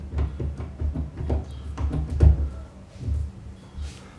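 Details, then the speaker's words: Interior home door pushed back and forth after two felt pads were added on the top edge where it touches the frame: about a dozen soft dull thumps with no loose rattle. The rattle from the door-frame gap is fixed. "No more noises. It's true, the noises are gone."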